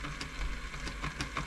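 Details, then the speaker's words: Elna Club Computer 500 sewing machine running: quiet light tapping clunks every few tenths of a second over the whirr from its two stepper motors, zigzag needle and feed dog, stepping normally. "that's the clunking you can hear one clunk is this one going left and right and then the other"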